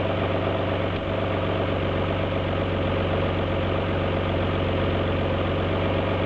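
Steady idle with an uneven, lumpy low beat and irregular stumbles in the rhythm, pointing to a misfire at idle.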